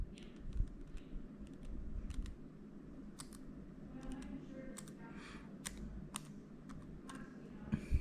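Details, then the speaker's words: M1 MacBook Air after the return key was removed and refitted for a sticky-key fix: light, scattered clicks over a low room hum, quiet with no rattle or squeak, compared with a still-noisy delete key. Normal quiet key press. "and look it's quiet now see it's no longer really noisy"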